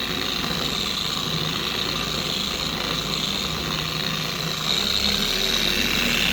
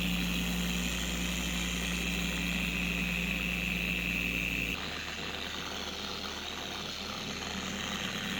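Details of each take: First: 4-year-old Carbon Collective DA random orbital polisher after stripping the gear head and regreasing with red lithium, test on the panel: smooth, even high-pitched whir with no screaming or wobble; normal running. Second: A steady high-pitched scream over the whir of a four-year-old Carbon Collective DA polisher at higher speeds, which drops away when the speed comes down. The polisher also vibrates and wobbles. Worn, dried-out gear head grease, before regreasing.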